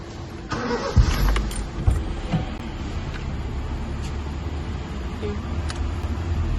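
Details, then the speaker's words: 2006 Honda City petrol after fixing misfire, low pickup and jerking with four coils, new fuel pump and cleaning: starts and settles to an even, steady idle while still warming up. "गाड़ी बिल्कुल smooth हो गई है A1 हो गई है"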